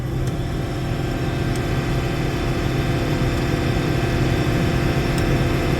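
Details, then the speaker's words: Old, long-unused diesel pressed into milo harvest, taken to full throttle: steady, even low roar with no misses or knocks, runs smooth; normal high-throttle running. "Hell, that runs smooth."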